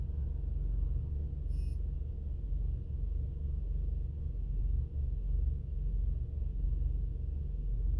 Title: 2002 Mazda Atenza rough idle